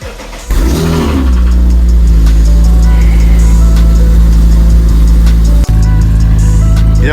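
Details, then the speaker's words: 2008 Acura TL Type-S with blown engine, remote-started awaiting rebuild: fires and settles into low rough idle with uneven deep rattle, rods and pistons knocking. "now i know i'm probably gonna get some backlash in the comments saying i shouldn't really be starting a car with a blown engine"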